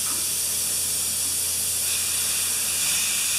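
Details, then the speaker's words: Compressor that sat 8 years, after reassembling a valve spring: steady sharp hiss with motor off as compressed air leaks back past a check valve that isn't sealing; pressure on both sides. "and we're getting leakage so if there's pressure in here there's also pressure in here"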